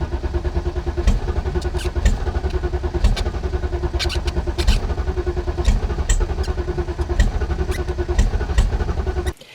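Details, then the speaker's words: BMW E32 7 Series, suspected frozen fuel pump: steady even starter cranking that never catches, no fuel supply; owner suspects the fuel pump. "so to summarize the e32 I think it's an e32 7 Series won't start still no fuel supply I think it's probably a fuel pump"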